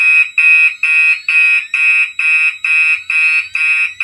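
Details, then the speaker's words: Older Gentex horn on a NAC set to continuous in a mixed Gentex system test: shrill buzzing horn pulsing about twice a second, as the horn codes itself to march-time pattern. Normal operation. "The knack for this horn is set on continuous, but it's going to be coding itself to the pulse march time pattern that these older ones had the option for."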